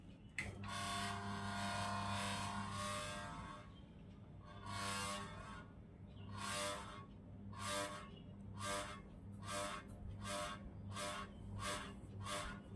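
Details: Ceiling fan still noisy after its bearing was replaced and the shaft found fine: low hum with rhythmic whooshing bursts about once a second as it runs slow; the run capacitor is failing.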